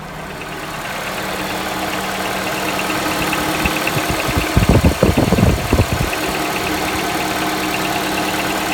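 Steady petrol idle with a knocking patch of heavy thumps midway, roughly three per second, then settling back; source of the knock unknown.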